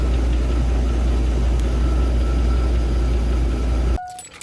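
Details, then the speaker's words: 2002 Chevrolet Avalanche 5.3 LS V8 at 255k miles, idling before shutdown; debris possibly drawn in via the PCV valve: light rhythmic tapping on the idle; owner thought lifter, also suspects bearing wear or other knock, unconfirmed, oil analysis pending. "So as you can hear, that's definitely some tapping going on. I thought maybe it was a lifter."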